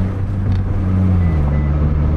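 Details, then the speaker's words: Mitsubishi Lancer (not Evo) on a test drive after a clutch repair that fixed bad slipping: a steady engine drone drops smoothly through a gear change with no slip or chatter. A plastic rubbing near a wheel was noticed. "yeah it's running it's running good go ahead and take her on on the street"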